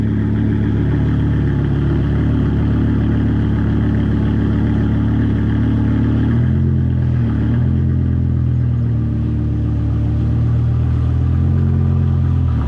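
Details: BMW E60 M5 S85 V10 after replacing the cylinder 2 and 3 coils and the ionic module to fix a rough misfiring cold start, driving at light throttle: deep, even drone pulling smoothly with no stumble. Now running clean.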